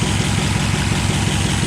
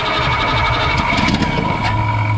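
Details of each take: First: 1962 Ford F-350 after carburetor float and needle-seat adjustment, timing advance, and new plugs and wires, now running without choke through a near-straight-pipe exhaust: steady, even low rumble with a smooth regular beat, no misses or knocks; healthy idle. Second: 1962 Ford F-350 with recently rebuilt carburetor, choke being tuned out: starts and blips, then holds a low, uneven idle that hunts; owner suspects too rich at idle with mixture screws 1.5 turns out, cause unconfirmed.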